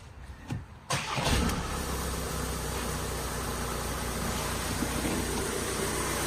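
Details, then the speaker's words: 2017 VW Transporter T6 diesel started as it arrived, settling to idle with a steady hiss, also heard driving, from an exhaust gas leak at the rear, with soot; EGR fault suspected, fumes entering cabin. "Okay, so if you listen, you can hear a hissing coming from it, which you can also hear when you're driving."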